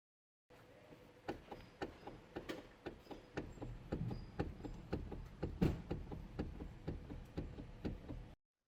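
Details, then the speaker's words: Hyundai Elantra steering column, heard while turning the steering wheel: uneven dry clicks and knocks, about two a second, from the weak, coin-sized factory plastic gear in the column that has broken apart. "ocasionado por un engranaje plástico que originalmente es muy débil y su tiempo de vida útil es muy corto ocasionando que al dañar se produzca el siguiente problema manifestándose con un molesto sonido al maniobrar el timón"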